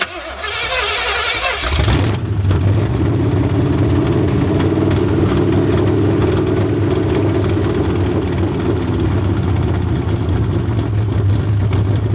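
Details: Long-sitting 1981 Ford Mustang 5.0 V8, carbureted, fuel pump bypassed with a pump feeding the carburetor: short crank, then lumpy, uneven idle with irregular low throb; owner suspects a fouled plug holding heat; better than before.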